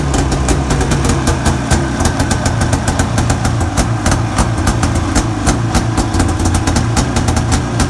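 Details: Arctic Cat 570 snowmobile, Japanese two-stroke engine, electric-started at minus 40 on new Varta AGM battery with full choke; rough, crackly idle holding steady without dying; normal cold idle.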